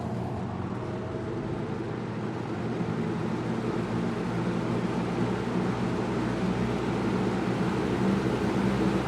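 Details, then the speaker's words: Lasko 6740C box fan on low after cleaning, motor not disassembled or oiled; quiet, even low hum and air rush, steady with no rattle or scraping, spinning freely. "it's it spins pretty well for it not having any oil uh given to it"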